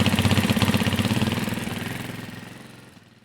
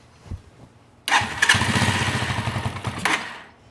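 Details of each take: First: Carbureted Janus 250 motorcycle at full operating temperature, idle screw turned back down so the engine won't rev on its own: even, steady single-cylinder putter at a settled idle, no hunting or surging; idle correctly set. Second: Carbureted Janus 250 motorcycle after a small turn-in of the idle screw: fires and chugs with a slow, lazy beat for about two seconds before fading; idle still too low, target 1500–1800 rpm (about 1600), another eighth-turn needed.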